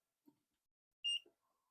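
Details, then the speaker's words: Surveillance server set to power on immediately when power cord is plugged in: soft thump then one clean short high beep, the normal power-on signal that drive canisters are detected, before the final POST beep. "So you'll hear an initial beep that'll let you know that the drives are plugged in, the drive canisters are reading the system, and it's going to turn on here momentarily."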